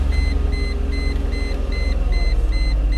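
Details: 2004 Chrysler Crossfire, 722.6 transmission after conductor plate replacement for limp mode, codes cleared, no warning lights: steady low idle rumble with chime pinging about three times a second; normal idle.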